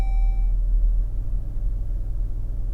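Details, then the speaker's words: New 2026 Chrysler Grand Caravan SXT, cold start heard in cabin: soft steady low rumble after a chime, calm with no droning boom; the ~32 Hz booming appears only once warm, braking in Drive or Neutral. "When I start the van, the engine is nice and quiet. All I hear in the cabin is this."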